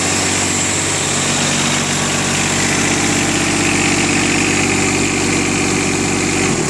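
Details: 1999 John Deere 455 diesel with 135 hours. Steady, even diesel clatter at idle with a constant beat and no knocks or misfires; sounds healthy.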